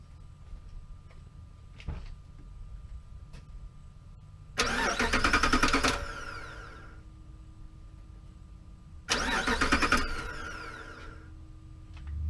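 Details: 2005 Jeep Grand Cherokee with an intermittent click-no-start, cranking while the starter solenoid connection is tested by push button with no key in: two short even, quick cranking bursts that spin freely and stop cleanly. Normal starter cranking.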